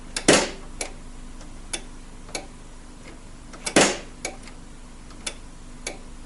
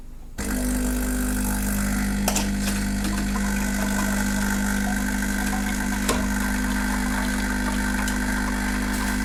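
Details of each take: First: Saeco Vienna Trevi Chiara coffee machine powered on without the brew unit: sharp irregular ticks about once a second with two louder snaps; intermittent clicking, likely from the ground-coffee doser. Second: Saeco Vienna Trevi Chiara coffee machine, reassembled after its ground-coffee doser had been clicking nonstop at power-on: steady, even drone through the grind and brew cycle with no knocks or stalls; working normally.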